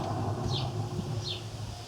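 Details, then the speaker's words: LG washing machine drum turned by hand, about 1 mm play: low, steady hum like a humming car wheel bearing, meaning worn but not yet failed drum bearings, which are to be replaced. "que el rodamiento se ha desgastado y ha aparecido un zumbido, casi como en el rodamiento de una rueda de coche cuando zumba."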